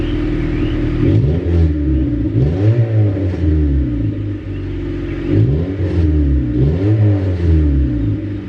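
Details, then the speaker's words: Honda Civic wagon (D15B2) after a tune-up: new plugs, borrowed spark plug wires replacing bad ones that caused misfires. Starts right up and revs rise and fall cleanly through blips, no stumble. Smoke suspected to be oil drained into cylinders. Normal running. "Let's see what happens. Ooh. Started right up. That's good."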